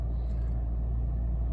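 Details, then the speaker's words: Petrol engine, started after sitting two weeks, idling in neutral during warm-up; deep steady rumble at slightly raised idle with RPM gradually dropping, no ticks or knocks: normal warm-up idle. "You'll notice as it warms up slowly, the RPMs will just constantly keep dropping, but you might not be able to get it down that low before you need to move it."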